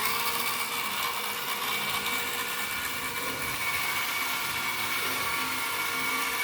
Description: there is a weird sound that can be heard as the car moves in the front direction as compared to the rear the sound comes from the central gearbox assembly with a lot of vibration also.